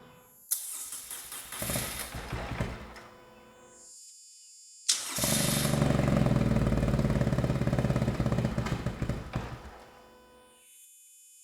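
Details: BMW R1200C after a new fuel pump, fresh battery, new fuel hoses and fresh stabilized gas, first start: cranks, catches, dies back, then restarts and settles into a steady, even boxer-twin idle with no knocks; healthy.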